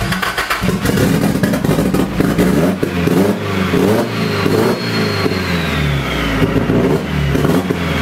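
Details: Nissan SR20DET, first start after standing 1.5 years: loud, uneven revving with a ragged, clattery note that stumbles as it climbs. Running rough; start map and ignition timing are known to be set wrong.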